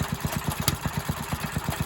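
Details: Briggs and Stratton engine on a tiller revived after not running: small single-cylinder thumping about eight to nine beats a second with a loping, uneven idle.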